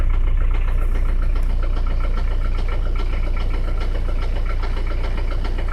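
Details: 1985 Peugeot 505 diesel (XD3), idling after hard driving: deep even knock about three per second locked to engine speed; rod knock, engine needs replacing.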